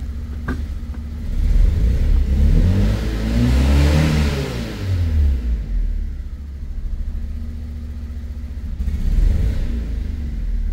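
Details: 2002 Fiat Punto 1.2 petrol, judders, flashing engine light: revs climb and fall unevenly with a stumbling, shaking beat rather than a smooth pull; misfire.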